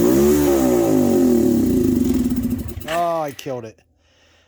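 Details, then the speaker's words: 22-year-old quad that sat 3 years in a barn with old fuel; tank, petcock, fuel lines and carb cleaned, plug looks okay. Revs wander and sag, stumble, then die; still not running fully but running longer than before, cause unconfirmed. "but she's still not running full it's at least running longer than it was"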